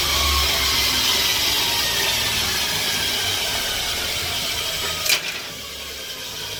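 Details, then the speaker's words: Bench grinder fitted with a linisher belt attachment, 80 grit belt, final clean-up of a flat-cut metal piece: steady, even hissing rasp of belt on metal, no flutter, slap or catching; normal belt sanding. "So I want to check out what the belt's going to be like and give it a final clean up. Let's give it a go."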